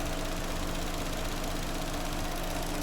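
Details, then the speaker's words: Vauxhall Astra that had a misfire, with cylinder 2 arcing, now idles with an even, steady low hum and no stumbles. The misfire is totally gone. "so I don't know if you can hear that but we've got the engine running now miss fire has totally gone"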